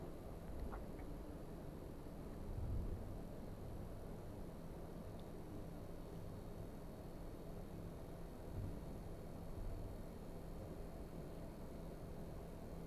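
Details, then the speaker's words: Clivet heat pump running in an echoey showroom under a demand for a 65-degree flow temperature: quiet, steady low hum with a faint even tone as the compressor ramps up slowly to speed. No knocks or rattles; normal running. "So with every heat pump, they start off very slowly and then they ramp up like an accelerator on a car until they reach the speed that you require."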